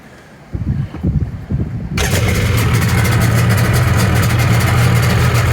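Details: Rebuilt 1997.5 Sea-Doo GSXL, 951 two-stroke, during break-in on richer premix plus oil injection, run on the ramp after passing water test: brief cranking, then steady even idle with no misses; sounds fine here though it rode unusually rough.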